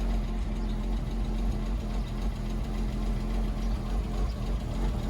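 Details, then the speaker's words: A Porsche Boxster that sat unused for a couple of years, at idle on its first cold start. Light, irregular valve-train tapping runs about three to four a second; the owner suspects the long storage and the cold start. The tapping was later gone after it was run. "well that works yeah oh that's andy a little bit tappy sat a long time might just be the cold start on"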